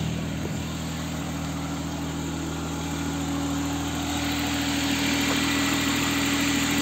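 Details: Jaguar XJ40 6-cylinder petrol idling after its in-tank fuel pump was replaced and a popped fuel-line clip reclipped; steady, even idle with a faint constant hum on top, no misses or knocks; healthy.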